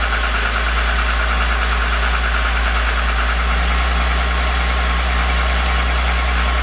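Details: VR6 engine at steady idle with a faint, uneven light knock under the low rumble; owner suspects piston slap, not confirmed.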